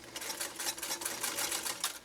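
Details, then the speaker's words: Restored Singer 192K Spartan (0.80 amp motor) with a Schmetz size 90 universal needle, getting through tough chemically treated material with ease: quick light ticking in short stitching runs, even and free, no grinding or labouring; normal running. "you saw the amount of ease that Michelle's 192k had in getting through this material it wasn't even an effort it wasn't even an effort"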